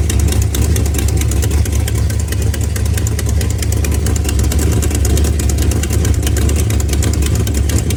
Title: Could this be bad header gaskets hole in header lifter tip Rod knock Spun Bearing ?